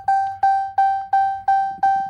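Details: 2018 RAM premium gauge cluster: clean, fairly high electronic ding repeating evenly about three times a second, seven in a row; the cluster's warning chime sounding normally.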